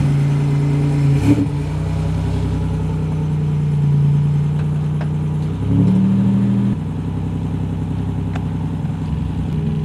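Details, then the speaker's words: Buick started after sitting a long time, with a malfunction code showing: an uneven lope at idle with speed hunting that clears as the idle rises. Rough idle; owner plans to check fuel pressure. "started the car in a long time and dude that thing was loping like it was a big block did you hear that geez all right i'm not sure what's going on with that we're going to figure that out but it cleared up as soon as the idle came up"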